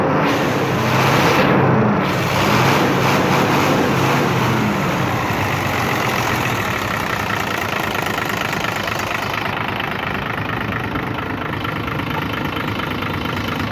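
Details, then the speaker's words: Hino 500 FM truck, 6-cylinder diesel, after fixing oil leaking from the dipstick side and topping up low oil: steady even idle with regular low throb, no huffing or knocks; no blow-by, normal healthy idle. "तो देख सकते हैं blow इसमें बिल्कुल नहीं है, बिल्कुल clear है, देख सकते हैं आप।"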